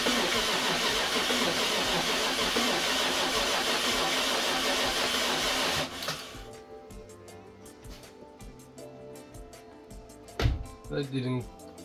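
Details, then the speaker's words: BMW F10 550i N63 V8 after hydrolock rebuild with cylinder wall repair, first start attempt on replaced battery: about six seconds of steady cranking, then light clicks, never catches; code shows no ignition voltage supply, traced to an unplugged ignition supply connector. "This didn't go as planned. Ignition circuit supply. No ignition voltage supply."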